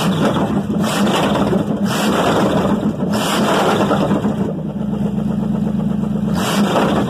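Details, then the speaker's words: 305 V8, first start in years, restarted without pressing the gas and started easily; catches and settles to even steady idle with a couple of throttle blips, no misses or knocks; normal start and idle. "now let's see how easy it starts up without you hitting the gas"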